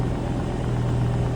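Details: BMW E92 M3 swapped with S85 V10, MaxxECU and DCT gearbox, first start-up during remote mapping; steady even low drone, no misses or knocks, idling smoothly.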